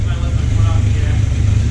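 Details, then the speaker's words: Jeep Cherokee being revived, idling right after the air box was reconnected. Deep idle that is a little choppy but not popping or banging, and improving as it runs. Rough idle. "yeah but it it's figuring itself out she's not popping and banging i mean she's a little choppy but i mean i feel like that's figuring itself out"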